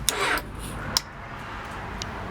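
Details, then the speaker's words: 2002 Honda CBR600 F4i that died while riding and won't restart (had shown 223°F, now 160°F): one sharp click on pressing start, a second click about a second later, no cranking; cause was a weak battery, fixed by replacing it. "See, this first one clicks and then I let off the start button and then the battery clicks. See that loud click is the battery clicking."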